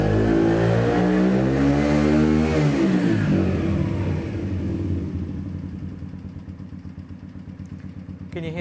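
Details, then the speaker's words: Yamasaki YM50 RE 50cc with Dell'Orto electronic carburation, first cold start of the day: revs settling into an even idle with a steady light tick about three or four a second; normal e-carb mixture adjustment during warm-up. "that clicking that clicking is part of the electronic fuel in electronic carburation and it just changes the mixture to try and get the bite ready for you to ride"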